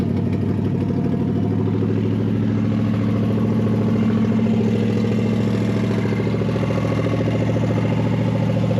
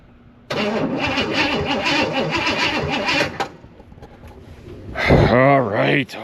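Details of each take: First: Barn-find big-block V8, running after fuel was added to the fuel bowl: steady, deep lumpy rumble with no knocks or misses. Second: Barn-find Chevelle big-block with 750 double-pumper carburetor: steady rhythmic starter cranking about three seconds with no catch, then silence; cranks but won't start, starting fluid tried next.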